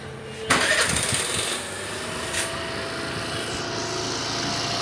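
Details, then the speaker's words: Suzuki Access 125 BS6 scooter after an idle adjustment: starter whirr, then a fast, busy buzz that never settles, so idle rpm is still too high. Further adjustment planned; the sensor may need replacing if that fails. "इसमें और थोड़ा घटा लिया क्या करना है इसमें अभी भी रेसिंग है इसलिए और जो है इसका एडजस्ट करना है"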